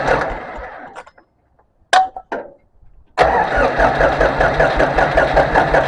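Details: International 284 diesel tractor after fuel filter change and bleeding air with hand pump: a couple of short cranking bursts, then catches and settles into a steady, even clatter; starts fine.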